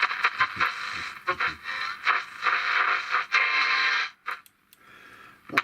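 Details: Portable transistor radio (one of several repaired: Perdio Londoner, Alba 745, Hira HH857, Benkson 444, Katsura) plays clear, lively music and voices steadily with no crackle, hum or dropouts; set receives and plays properly.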